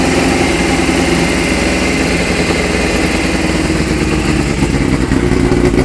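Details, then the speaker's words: 2001 Suzuki GSXR600 with about 37,451 miles, crashed bike, fuel injection working: steady loud idle with rough hissing, rasping edge over engine note; air leakage while running, possibly at crushed exhaust. "this motor when we do turn it on you do hear some air leakage and I will show you that in a moment"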